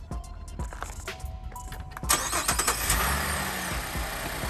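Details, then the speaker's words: 2015 GMC Acadia after replacing bad temperature sensor and topping up low coolant, fixing hard start and constant fan: short crank, quick catch, steady idle without stumbling on restart; normal start. "cool so that'll take care of our check engine light that'll take care of our issues and the starting go ahead shut it off turn it back on cool beans all right so we're in good shape"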